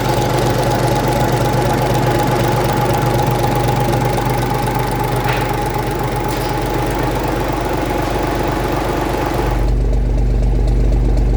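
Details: 1965 Gardner 6LXB 180 marine six-cylinder diesel on test stand after rebuild (it had failed 80 hours after a previous overhaul): steady even beat about four pulses a second with constant low drone; running smoothly and healthy.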